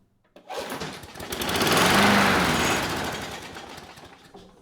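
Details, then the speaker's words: Curbside Craftsman 917.376655 mower with Briggs & Stratton Quantum 122T02 engine, started on gas squirted into the carb throat: catches right away into a brisk, even run, then fades as the primed fuel burns off. Engine sounds good; the main problem was a bad deck. "Nice. And that's all I needed to hear. The engine, it runs and it sounds good. So there is nothing wrong with this engine."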